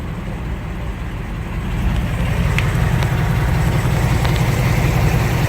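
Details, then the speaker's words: 2018-2019 Ford Mustang after a Ford dealer oil change, previously ticking instantly; after a brief rev a steady, even idle settles with no regular ticking over the low hum, no tick whatsoever, normal idle. "Wow no take whatsoever that is amazing"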